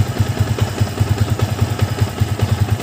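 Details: Yamaha Vixion new model with rough, noisy engine and oil leak after a recent block replacement, reassembled and coolant filled: steady idle thumping about five beats a second, smooth with no ticking or knock; cam chain sound fine.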